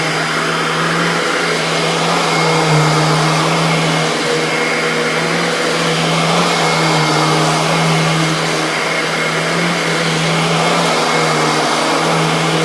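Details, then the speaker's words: Royal Classic Edition model 4000 metal upright vacuum (mid-1990s), its large motor the most powerful of the owner's Royals, switched on: loud, steady high-pitched scream over a constant airy rush, no wavering or rattle; normal motor run. "so anyway without further ado let's go ahead and turn this vacuum on and you can hear this thing's scream at the top of its lungs"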